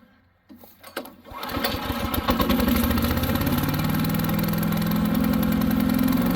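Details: New Harbor Freight Predator 212 chipper shredder that would only run on choke, after the fix: pull-start catches after a second with choke about halfway, settles into steady even beat about 3.5 per second; runs smoothly.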